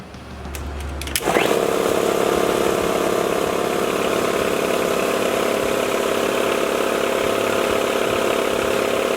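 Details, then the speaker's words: Air compressor after head cleaned and new gasket fitted: motor kicks on, steady even chugging about four strokes a second, builds to 120 psi and cuts off; normal running. "Compressor just cut off, built up to 120 pounds. Looks like we're back in business."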